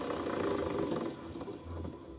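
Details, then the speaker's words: Honda Vario 110 LED scooter on its center stand, engine off, rear wheel spun by hand, low rough growl with a rhythmic churn from the CVT; noise is absent when running or riding. "Nah itu ada suara kabel ada suara rok rok rok ya ada terdengar rokok rodok seperti itu diputar seperti ini"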